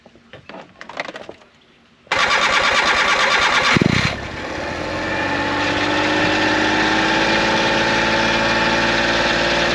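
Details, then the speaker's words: Suzuki Every kei van with CV40 carburettor and new manual pull choke, cold start after sitting overnight: quiet clicks, catches at once, revs briefly, settles into steady even fast idle; massive improvement, healthy cold start. "I would say that is a massive improvement."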